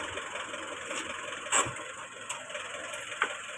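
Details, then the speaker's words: 2023 XRM 125 FI motorcycle idling with a busy, tinny clatter and sharp irregular clacks; the noise comes from a loosened bearing-like part underneath the engine. "yung parang may bearing diyan sa ilalim nalalapitan kasi na yung parang nily diyan sa ilalim lumuwag siya yung dahilan umingay makina"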